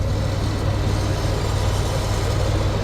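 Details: 2016 Freightliner Cascadia that previously had no power despite good batteries (13.4–13.5 V), now starting after parts were replaced: steady low diesel rumble with an even beat, no knocks or misses; clean idle.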